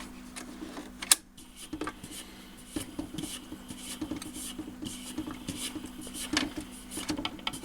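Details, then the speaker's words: Typical 1970s–early 80s BSR record changer under repair, cycling off after the arm is put down. The motor hums steadily while irregular sharp clicks show something is still gummed up in the mechanism. "And it does. But you can hear it's clicking, so something is still stopped up in there."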